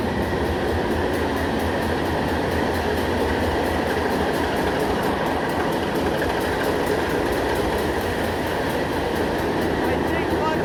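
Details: Engine room of the ship M/V Steve Irwin during startup, main engines idling: loud, steady roar with sharp regular clicking, two to three per second. A fault the engineer notices but does not address straight away.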